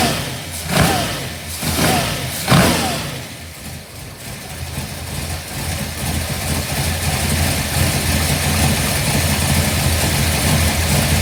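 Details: 1955 Bel Air, newly installed 572 big block (860hp), hydraulic roller, new headers, 40 series Flowmasters: first fire-up, sharp revs settle to deep steady idle, early tapping gone; computer still learning; normal idle.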